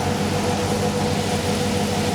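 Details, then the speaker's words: LTx-swapped Trans Am with 6L80E transmission idling hotter than 196°F coolant: steady rushing airflow over smooth, even idle as radiator fans switch to high speed; upper-hose sensor working within a couple degrees, normal. "so let's wait for it to get a little hotter we'll see if high speed comes on and there they"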